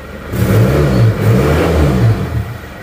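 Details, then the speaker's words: Isuzu D-Max diesel after nozzle repair, standard idle about 750 rpm; even steady clatter with consistent low knock rhythm, no shaking or stumbling, gear lever no longer shaking as before; normal idle. "bukan RPM yang kita tinggikan tapi ini standar ya sekitar 750 RPM lah hidupnya langsung stabil tidak goyang"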